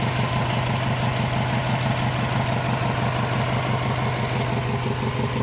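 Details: Subaru engine at idle: a steady idle with a regular knock of about two per second riding over the engine note and no other noise; engine knock at idle.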